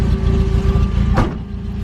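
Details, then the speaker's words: Toyota AE86, already warm: rough idle with a steady high whine from the starter still spinning when the key is left on; key must be turned back slightly to disengage the starter. "Oh shit. See, when I leave the key on, it's still spinning the starter. And then I gotta turn it back, like I gotta turn it a little bit back so the starter's not going."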